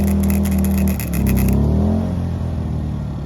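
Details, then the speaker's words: WEN 2000-watt inverter generator running an older 90-amp flux welder while welding farm-trailer cracks: welding crackle cuts out as the overload trips, and the engine falls to a steady idle. Must be shut off and restarted. "right here I realized that the overload on the generator tripped you can hear it just idle down and the welder stopped working so I got to shut it off and restart it"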